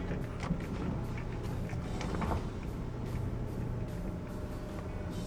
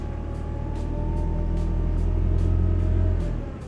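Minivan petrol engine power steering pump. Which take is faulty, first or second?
second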